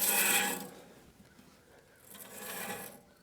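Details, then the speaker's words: Woodland Mills sawmill after replacing the adjustable blade guard guide (HM126/HM130Max) broken by a thrown blade, guides checked after torquing to 20 ft-lbs: two short raspy scraping bursts, the blade lightly rubbing at one spot despite a gap. "there's a gap between there there's a nice Gap but it's hting a little bit right there"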